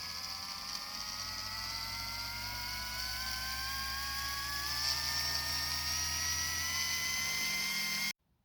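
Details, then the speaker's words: RC tank after fixing loud squeaking drive gears: motor re-set against gears with paper-thickness clearance; now gears mesh quietly, only steady electric motor whine climbing in pitch heard, no grinding or clicking. "Wow, that's a big improvement. You can't even hear the gears anymore. The only thing you heard was the electric motor itself."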